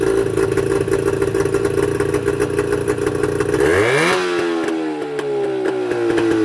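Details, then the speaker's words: Mercury 25HP two-stroke outboard before the Boyesen power reeds are fitted: uneven burbling idle with irregular popping and clatter, then a quick rev and drop. The mechanic blames the two small reed valves for the rough idle. "you'd be amazed that you wouldn't think that these two little pieces of metal is what makes the motor run so rough"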